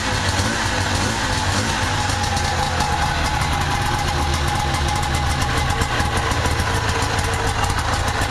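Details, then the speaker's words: Two-stroke engine that would not run because it was flooded with gas, coil suspected but fine: steady, unbroken buzz with no stumbling or dropouts once the flooding cleared; normal running. "Well, I finally got this thing to run. Unbelievable."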